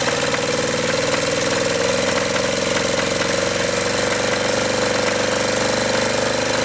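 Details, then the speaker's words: Acme Motori ADX 740 diesel, unrun 10+ years, after injector pump and injector work and a fuel line bypass: harsh uneven knocking clatter with droning note at idle, still blowing smoke, sounds like it's killing itself; rough running, cause unknown. "I bypassed that, ran the fuel line over and it's still blowing smoke and sounds like it's killing the engine."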